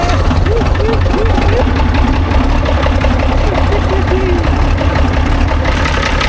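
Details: Vintage TD9 bulldozer diesel running after starter shimmed to take up wear: steady low rumble with even beat, no knocks or stumbles, chirping in background; healthy idle.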